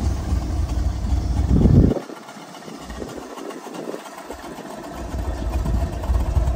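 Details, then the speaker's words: 1970 Chevrolet Corvette L46 with a 350ci V8 and four-speed manual, fitted with different mufflers. A low, soft, even idle rumble with no ticking or knocking; a very quiet, healthy V8 idle. "the car is really quiet it's almost too quiet I put some different Mufflers on it and it's very low gear the engine is so quiet"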